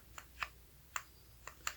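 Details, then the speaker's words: 1986 Mustang with loose worm gear slop in its housing. Sharp dry clicks come unevenly, about one every quarter second. Planned fix: epoxy to take up the slack and keep the gear engaged. "there's any way there's slack in it hopefully we can hopefully we can put some epoxy in there and basically make our own mold so that it's stout enough to keep it engaged"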